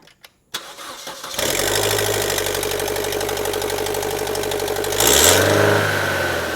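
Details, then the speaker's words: 2012 Chevrolet Cruze ECO, Ecotec 1.4L turbo, starts and idles with a rapid, sharp ticking puff from an exhaust leak at the turbo, which failed state inspection; before turbocharger replacement. "All right, so that's pretty bad. That's what caused it to fail inspection. It's not anything with the exhaust lines or system. It's actually with the turbos."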